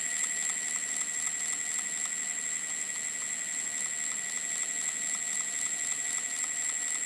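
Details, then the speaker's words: Ancheer e-bike hub motor after about 350 miles, with grinding on hills, spinning: sharp, even clicks about four per second over a thin high electric whine, stopping when the circuit board is pressed; cause unconfirmed. "I noticed that at some point it it frequently makes like a clicking noise repeatedly repeated clicking noise"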